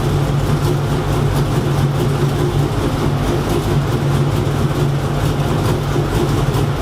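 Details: Freshly rebuilt engine on first fire-up, warming to operating temperature after driver- and passenger-side fix removed ticking: steady, even low rumble at idle with no ticking or tapping; sounds healthy.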